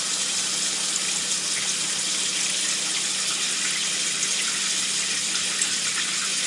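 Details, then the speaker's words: GE Adora PotScrubber dishwasher after replacing its bound-up drain pump, with the tub prefilled from the cold tap. A steady, even hiss of hot water filling the tub, with no pump hum or rattle; a normal fill before the drain test. "And then we'll turn it on and let it fill with its natural hot water for a couple seconds."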